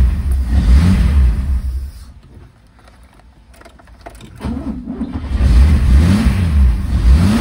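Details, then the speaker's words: 1963 Mercedes W111 220SEb convertible during restoration, first start after work, injection, cold start not working; lumpy, uneven beat that sags and stumbles before picking up, owner suspects a disturbed spark plug: misfire. "of a feeling I've Disturbed One of the spark plugs but we'll see if we've yeah we've dropped the water level down massively kind of feeling one of these there's been not it sounds like it was missing a bit"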